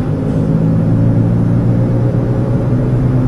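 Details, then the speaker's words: 2004 GM vehicle on a test drive: a steady, low droning hum under road noise while cruising, likened to a WWII airplane. A worn front wheel bearing, not severe and probably not yet loose. "like a world war two airplane flying over Dresden it's not that bad I've heard a lot worse before"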